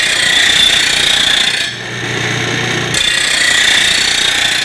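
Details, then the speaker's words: Rotary mower blade on a bench-top stone blade grinder with grinding direction changed so the stone comes up and doesn't pull the blade in: steady, even hiss of stone on steel, no snatching; load set only by applied pressure. "it's much easier grinding to grind with the stone coming up this way because I'm not getting pulled in so it's truly just how much ever pressure I applied to the blade into the grinding wheel that is what is experienced in the grinding not the stone catching"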